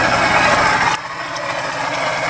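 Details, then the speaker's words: 1998 Geo Metro, free car in poor condition after sitting years, plug wires pulled one at a time: shaky, uneven loping idle with a sudden drop in note; two cylinders show no change, engine not firing on all cylinders. "so as you can see uh I pulled each spark plug and the first two the engine ran noticeably differe"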